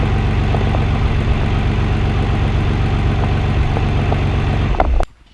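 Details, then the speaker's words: Nissan 300ZX Twin Turbo after replacing the rear ignition coil on cylinder 6, cold idle in warm-up open-loop mode: a deep, steady idle with an even low rumble and no misses, noticeably smoother. "Wow, so that's actually quite nice. I know it's still in the cold warm-up open loop mode, but yeah, I mean if there was, I mean it definitely feels smoother."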